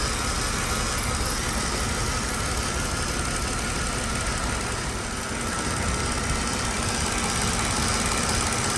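A petrol engine idles with a loose, slightly uneven beat, a sign of a misfire at idle.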